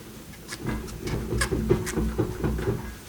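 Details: BMW E46 M3 on jack stands, parking brake on, engine off: about seven dull clunks as the rear wheel is rocked by hand. The owner suspects play from a wheel bearing or the guibo.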